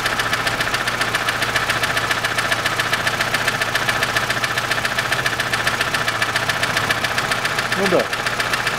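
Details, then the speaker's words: 2006 Chevrolet Lanos, 1.5 petrol, manual, FWD, 342,000 km, idling: sharp light tick two to three times a second from a single valve. Owner bought a hydraulic lifter, but the cause was a poor-quality rocker wearing the seventh camshaft lobe. "только вот будет стучит именно один клапан"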